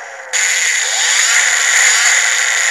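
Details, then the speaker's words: Brushless motor under new PWM mark control in a synchronous torque algorithm: steady high whine rising smoothly with speed, no stutter. Speed is relatively stable; the noise is intentional. Normal running. "But the speed's relatively stable now. It's noisy, and that's on purpose."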